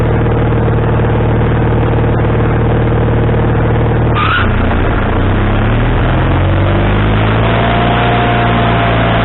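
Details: Wood-Mizer LT40HD sawmill engine with a new carburetor, after the linkage was moved from the wrong hole: steady run, then the revs drop sharply and climb back unevenly. The idle is now adjustable, but the engine is still surging.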